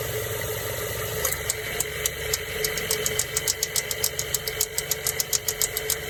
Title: Mazda 3 2007 AC Compressor clicking noise